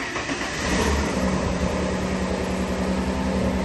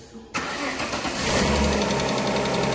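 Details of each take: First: 2.5 V6 Busso (CF2) Alfa Romeo 156, one owner from new, just after fitting six new plugs and coil packs: low idle still uneven and lumpy, a slight putt-putt from the exhaust; misfire had been caused by old plugs and cracked coil packs. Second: Alfa Romeo 156 2.5 V6 Busso CF2, after replacing all six spark plugs and cracked coil packs that caused a misfire: catches on first crank and settles into an even, steady idle with no popping; normal start and idle.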